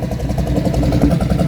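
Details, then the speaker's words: 1974 big block V8 square body C20 with single glass pack exhaust: lumpy, uneven idle that stumbles periodically, a definite misfire; tired motor but not smoking. "Definitely got a miss. Don't think we're going to be doing any burnouts in this truck."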